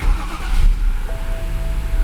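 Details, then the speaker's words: 2011 BMW 528i F10 N52 with 262,000 miles, after a crank-no-start was fixed by installing, coding and programming two modules and doing a Valvetronic limit relearn: settles into a steady idle with slight unevenness; runs semi-smooth, a normal idle. "it runs semi smooth it does have like a little bit of a uh imperfect idle but that's going to be a separate concern"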